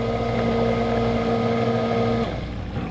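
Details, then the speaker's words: Hoshizaki ice machine, pump stopped early in freeze cycle: steady hollow hum with whine, no water sloshing, cuts off; sump empty after pre-defrost dump, owner suspects leaking dump/check valve or failed pump. "I don't know if I'm out of water and my dump valve's leaking by, which it's a possibility, or if my water pump's gone sideways."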